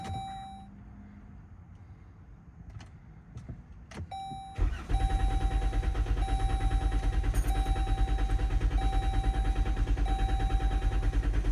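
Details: 2017 Chrysler Pacifica, 143,992 miles, won't start two days after an oil change despite a good, year-old battery, a jump start and swapped fuses and relays: after a chime the starter spins evenly and quickly for seconds without firing; cranks, no start.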